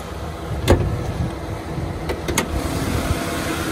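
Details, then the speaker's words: 2016 Toyota Tundra auction truck listed with mechanical damage, started and idling: low, steady idle hum with no ticks or knocks, engine sounds clean and even; a transmission problem is suspected rather than the engine. "the motor actually sounds good maybe it's the training because they say mechanical damage but the motor sounds good"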